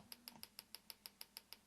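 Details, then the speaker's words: Bench test of a GM LS2 (D-580) coil-near-plug ignition coil driven by a pulse generator: sharp, even snapping spark ticks about six per second against a faint hum; coil firing the plug cleanly and regularly. "listen up you can hear the clicking of the spark plug"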